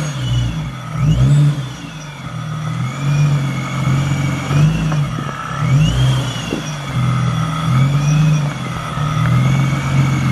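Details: Nissan G35 with a Vortech supercharger on a base map, GTM pulley mod: deep engine note rises and falls with each blip while a whistling whine tracks the revs; healthy supercharged engine.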